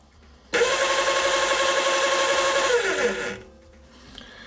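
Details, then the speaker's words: Razor E150 scooter's 24V 150W brushed DC motor wired straight to a battery, bypassing the controller: a steady, even high whine for about three seconds, then the pitch slides down as power drops; motor healthy, controller suspected. "right that tells us that the motor is fine"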